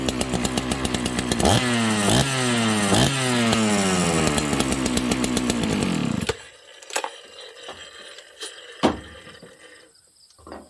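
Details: Dolmar chainsaw, high compression, started on full choke: starts and revs up cleanly with crisp, quick rises and drops in pitch, then shuts off; strong, healthy-sounding saw, normal running.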